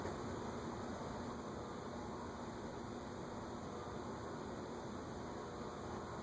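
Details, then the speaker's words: Unknown top-mount ceiling fan on a solid-state speed control, turned up to about 0.32 A draw: steady low hum with growing electrical buzz under fan noise; motor not rated for solid-state control. "Now you can really hear it. Yeah, that's usually a good indication that it's not an ideal fan for solid state control."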